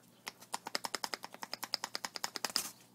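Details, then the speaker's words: Old outer tie rod end from 1990 Toyota SR5 pickup 2WD, worked by hand: rapid sharp dry clicks about seven a second; loose, worn-out outer tie rod, replaced. "so it's about you know these are pretty bad these are toast"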